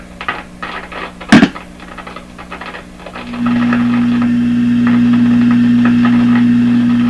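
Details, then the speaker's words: 1929 Victor RE-45 radio, signal tracing with generator near 700 kHz: after a clunk, steady clean tone without crackle or dropouts at this stage; background hum is the signal tracer itself. Clean signal, no crackle. "That sounds like the radio signal with no crackle. Now, oh, this is a good spot here. Again, sounds like the radio with no crackle."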